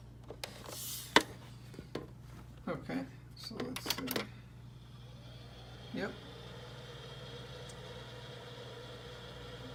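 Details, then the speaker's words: Sega Dreamcast bought untested and dirty, reported not reading discs, first power-up before lens cleaning and laser calibration: a few clicks at power-on, then a steady soft whir with a faint even high whine; loud fans and audible laser, considered normal. "on and you can kind of hear the laser so those are all good signs I've heard the fans are pretty loud on the Dreamcast so that's pretty normal based on what I've read"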